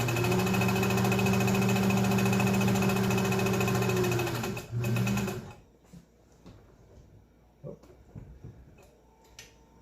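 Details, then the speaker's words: Restored Kenmore 120.49 sewing machine final test, microphone close to machine: even, rapid needle clatter with steady motor hum for about five seconds, then stops; sewing smoothly and healthy. "but she's sewing beautifully and she's ready to go to work for you"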